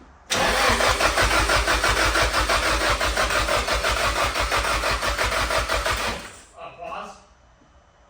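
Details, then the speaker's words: Nissan 180SX Type X, after replacing the oil filter housing because the oil filter kept blowing off: cranks briefly, fires cleanly, settles into steady even idle before shutting off; starts and runs normally. "right that sounds good that sounds good that sounds good"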